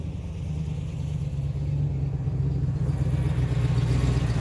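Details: 1986 Chevy K5 Blazer, new long block after a blown head gasket, freshly started with timing set: deep, even low rumble with a steady beat and no knocks or misses; smooth idle.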